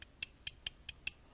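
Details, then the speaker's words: Removed steering shaft U-joint from a 2008 Ford Escape, worked by hand: six sharp dry creaks, lots of play, notchy and sticking. It caused clunking, popping and loose steering; being replaced. "And again, here's the old one. All kinds of play. It's real notchy and gets kind of stuck."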